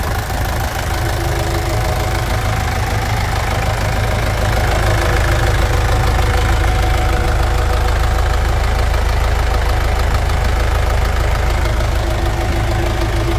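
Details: 1991 Chevrolet D20 with a freshly assembled Maxion S4T Plus four-cylinder diesel, after tank cleaning and service: firm, even idle with regular, normal injection clatter and no odd knocks.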